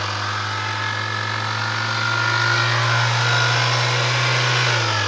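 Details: Gemini vehicle idling then revving: thin whining tone near the alternator rising with speed, coming and going; suspected alternator noise, intermittent rather than continuous.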